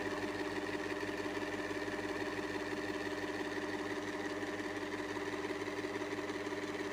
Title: Table fan making noise || Table fan shaft problem || shaft problem solved 🤗